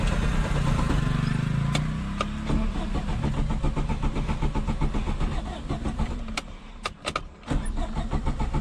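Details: 1989 Suzuki Khyber/Cultus, 993 cc G10 petrol, 4-speed manual, FWD, on a POV drive: engine cranks and catches, runs unevenly with sagging revs, then falters and dies, stalling; cause unknown.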